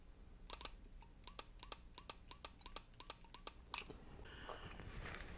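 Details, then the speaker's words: Yamaha golf cart with unreliable start/run problems: crisp sharp clicks about three times a second from a working, apparently original Yamaha starter relay, demonstrating normal relay clicking. "now this one here I've got it on the so you can you can hear the relay clicking"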